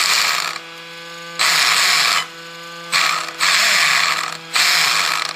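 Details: Traxxas X-Maxx RC truck after its first major overhaul at 50 hours, following a seized transmission: short bursts of smooth, high gear whine rise and cut cleanly with each throttle blip, with no grinding; the drivetrain sounds healthy.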